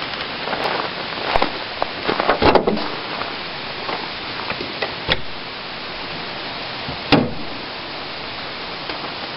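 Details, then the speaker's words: On-farm natural gas compressor, a German-built 4-cylinder unit adapted for natural gas, after shutoff. A steady airy hiss with a few clicks and knocks as gas bleeds off through the gray exhaust hose: normal gas venting after shutoff. "if you'll uh listen when I shut this off you'll see the the little Vapor coming out of that gray exhaust hose"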